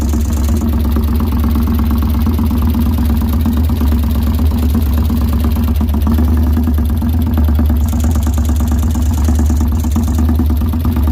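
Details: 2013 Victory Highball V-twin idling with a fast, steady tapping knock over the lumpy beat; cause not determined.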